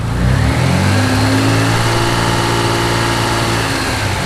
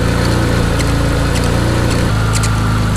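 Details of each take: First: Mitsubishi 3000GT VR4 with rebuilt engine after alternator pulley work: idles and revs smoothly with an even drone and no hum or whine from the belt drive; owner suspects the idler or tensioner pulley or a loose belt caused the earlier noise. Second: Mitsubishi 3000GT VR4 with rebuilt forged engine and 15g turbos, about 200 miles on cheap new pulleys: intermittent short squeak at idle over rough thrum; owner suspects water pump pulley, pulley showed some play, not confirmed.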